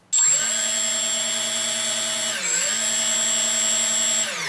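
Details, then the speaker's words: 3D Robotics quadcopter with APM 2.5 board on firmware 2.9.1 and 3DR 20 A ESCs, armed after calibration: motors jump straight to a steady high whine, dip once, then drop off with no gradual change; suspected board, software or configuration fault. "you see that I have no control on the throttle it is an on and off throttle issue when I move the photo stick it doesn't change anything on the speed of the motors"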